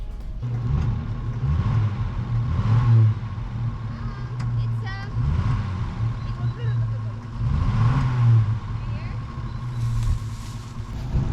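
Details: 1958 Rover P4 after restoration: low rumble, revs rise, falter and sag repeatedly under throttle; engine stumbles and wants to die; cause unconfirmed.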